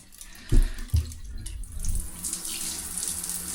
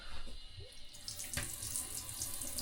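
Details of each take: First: Shower after repair, water back on and local isolation valves reopened: a couple of opening knocks, then a steady even rush of running water with no odd sounds and no leaks underneath; normal shower flow. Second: Shower fed from a vented tank, with one gate valve and the hot-side valve shut: a quiet continuous hiss of water still running through the pipework; the old gate valve is not sealing and isolates nothing.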